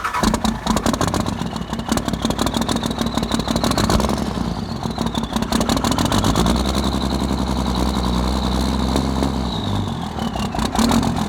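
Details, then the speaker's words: Non-53-block 24-valve Cummins diesel after a faulty rocker arm was found and bigger injectors fitted, with lines 1, 3 and 4 bled. It cranks and fires, then settles to an even, steady idle clatter with no miss or knock; a normal startup. "basically she started up perfect probably took like two three minutes"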